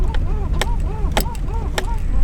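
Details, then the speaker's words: 2000 Toyota Camry: rubbery squeaks rising and falling, about two a second, as the steering wheel turns; intermediate steering shaft rubbing its rubber boot, fixed with lubricant. "when we turn the wheel, there's a rubber boot right there, and all it is just rubbing against that boot, squeaking."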